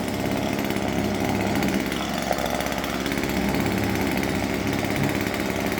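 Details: Husqvarna 136 chainsaw running after a no-start fix (tank checked for water), being run briefly to warm up: steady high-revving two-stroke buzz holding an even pitch with no misses or surging; normal running.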